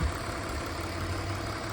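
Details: 2001 BMW E46 325i wagon, 250k miles, inline-six idling the next day after cooling-system repairs and reassembly; quiet, even idle with a soft low hum and no ticks, hisses or irregular beats; sounds healthy.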